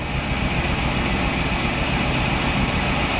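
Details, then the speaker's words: Wheelchair-lift van engine idling, code 3057 secondary circuit malfunction on cylinder 7 plus misfire detected on startup: steady idle with slightly uneven loping beat, one cylinder dropping out now and then; coil misfire. "Yeah, and then misfire detected on startup, which makes sense."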